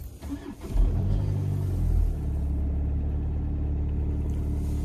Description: Winter cold start of 2.0TDi #EA288 diesel engine (CRLB, 110kW) at temperature -13.5°C / 7°F. Fresh car battery, working glow plugs, quick crank, and everything goes flawless.